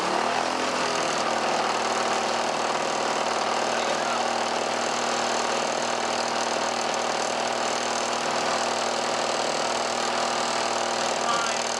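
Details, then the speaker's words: 1977 Lawn-Boy two-stroke mower, a barn find, restored with new wheels and fuel line and a sharpened blade, started after heavy priming. Loud, steady buzz holding even speed without sputtering. Normal running. "Ooh. Sure sounds like it wants to mow a lawn."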